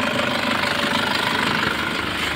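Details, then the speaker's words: Nissan Patrol ZD30 diesel with loose compression that had sat unused a long time, idling about an hour at normal temperature: steady idle with a light metallic chatter, a noisy timing chain that is not yet severe. "Kasi nga matagal na hindi umandar to tapos yung timing chain medyo maingay na yung timing chain"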